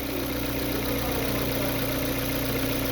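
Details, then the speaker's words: Hyundai Veloster in D with handbrake on, held at the revs that produced the noise, with belt-driven accessories disconnected: even, steady engine hum with no whine; normal running, noise traced to the belt drive circuit. "Olha aí, pessoal. R silêncio. Cadê o barulhão que tava fazendo?"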